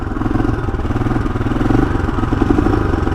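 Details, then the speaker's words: 1982 Honda XL500R kickstarted cold on a warm day, idling on choke: single-cylinder thumping with uneven beats dropping out now and then, starting to miss, so the choke is turned off. "here it's starting to miss alright let's go ahead and turn the choke off"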